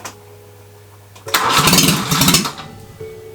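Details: Grandfather's Peugeot 104, unstarted since 1998, with fuel now reaching the carburettor and no exhaust fitted: cranking turns into a loud, ragged catch that fires unevenly for about a second, then fades. First start, barely running.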